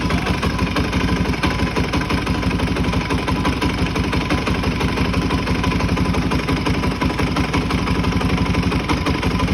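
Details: Suzuki DR-Z400E with 430cc big bore kit and Vertex piston, bought as-is: single-cylinder idle with steady hard knocking tapping through the thump; cause unknown.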